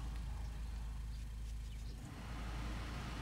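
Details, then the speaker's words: 2015 Ford Focus, after AC compressor replacement, engine idling with AC switched on: low steady idle, then a short dip and slight shift in engine tone about two seconds in as the compressor clutch engages, unlike before when no noise was heard. "I should hear it we should hear the noise when I turn the air compressor unlike before we didn't hit a noise then"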